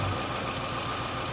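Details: Cheap MK4 Jetta four-cylinder idling after a solid dogbone mount was fitted, with a faint uneven stumble instead of a smooth beat; misfire, owner was told a failing fuel injector probably on cylinder 1, not confirmed.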